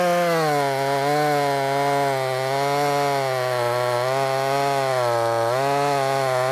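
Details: Brand-new, unbroken-in Wemars 6220 clone chainsaw on shakedown run: high clean wail dips slightly as the chain bites and recovers quickly, pulling strongly; loud, powerful, revs good; normal cutting under load.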